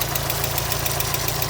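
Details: 1992 Mazda Miata, first start after a cracked radiator and a suspected blown head gasket, no water in the oil, oil pressure seemingly fine: sharp light ticks about seven a second at idle; owner unsure whether lifter tick or rod knock.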